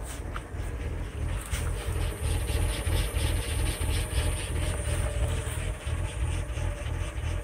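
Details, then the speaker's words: 2000 Lincoln LS V6, warm idle, with absolute TPS reading 16.9 at idle: the idle rises and falls in a steady lope about three times a second, like a performance cam, and shakes the car. Not a misfire; cause not pinned down. "Idles decently. It takes a lot longer when it's cold, but it's not too bad. But I don't know if you can hear it, but it's got a little, like a lope to it."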